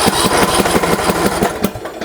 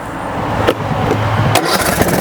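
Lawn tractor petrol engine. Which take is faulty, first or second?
first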